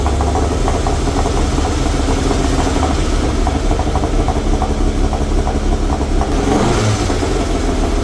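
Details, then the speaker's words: Toyota MR2 with turbo 3S-GTE engine, being prepared before tuning, vacuum lines not yet returned to stock and ECU upgrade not yet fitted: lumpy, uneven running at idle and on revs, sounding like a miss though it isn't; cause unknown. "all right folks you guys heard it it still doesn't sound that great um it almost sounds like it's missing but it's not it's it's really weird"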